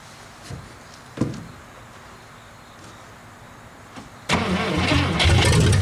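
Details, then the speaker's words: 1956 Studebaker Golden Hawk, first start in 50 years: a few clicks then steady fast cranking at about three and a half turns a second with no catch; fuel not yet primed, gas added until it runs. "that's why I just kept adding a little bit of gas this time until we got it until I knew it was primed up"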